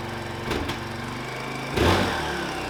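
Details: 1999 Suzuki DR350 bought disassembled, engine reinstalled with 1700 ml fresh oil, kick-started on choke; two kickstarter thumps, then the single catches and settles into a steady, even putter; normal running after start.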